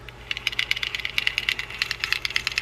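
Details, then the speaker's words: Fishing reel in for shop service, cranked by hand: rapid light clicks, about ten a second, rising and falling with the cranking, more clicking than normal. Cause not yet found; a spool adjustment may fix it. The reel has a lot of plastic inside. "a little bit of some noise there that may be taken care of just by adjusting the spool you know we have a we have more of a click going than that"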